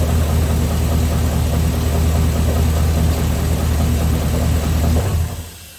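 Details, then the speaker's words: 6.0 LS V8 at idle after raising the rev limiter, before teardown; deep uneven knocking under the rumble until shutdown, owner suspects spun rod bearing on bent rod number 7: rod knock. "Alright, that didn't sound that terrible, but I'm telling you, she's bad. I'm pretty sure that I wrapped her right up, and probably that rod that was bent number 7 here, I'm pretty sure that bearing spun, if I had to guess."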